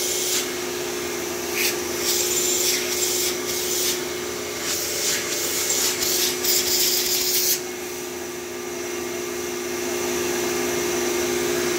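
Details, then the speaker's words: Traded-in, dusty vacuum cleaner (Phantom/Thunder type) switched on: it puffs out dust, then runs with a steady, even motor hum and airy rush, no rattles, sounding like new. "well it does work puffed out a good amount of dust but it does work so these phantoms are just at least the thunders are just tanks like i can't imagine how much dust and crap is in the motor and it still sounds like a brand new thunder"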